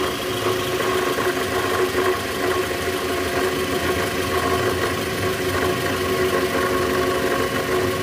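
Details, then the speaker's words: 2010 Toyota Vellfire, 2AZ-FE 2400cc, about 100,000 km, cold start idling in reverse, heard low on engine: rough idle with steady gritty rattle and knock; balancer shaft gear likely worn or broken. "ya bunyinya jelas banget bunyi gitu di bagian mesin Nah itu indikasi balancer shaft-nya udah oblak atau hancur nih guys karena kilometer juga udah tinggi udah 100.000 mobil tahun 2010"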